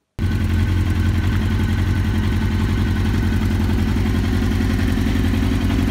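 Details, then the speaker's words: 2001 Suzuki GSX-R1000 K1 with rough, lumpy idle pulsing three to four times a second like a V-twin chopper and no power on acceleration; caused by out-of-sync throttle bodies and a clogged fuel supply. "when I try to accelerate it didn't have any power and when it was idling on just a war modeling it was a sounding it was sound like uh V2 it's a like a chopper or something"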